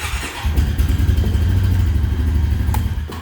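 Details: Honda quad (ATV) started with the brake squeezed, after troubleshooting a no-start. Starter briefly cranks, then the engine catches at once and settles into a steady, even idle. Clean, healthy normal engine start.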